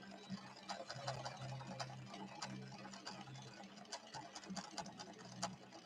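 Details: Late-1970s Viking Husqvarna 6460 Colormatic after several repairs, sewing a red decorative stitch with Gutermann polyester thread and a 90/14 Schmetz universal needle: even light ticking about two stitches a second over soft motor hum, smooth and unforced; normal sewing.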